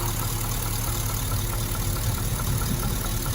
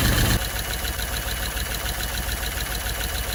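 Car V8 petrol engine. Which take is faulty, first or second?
first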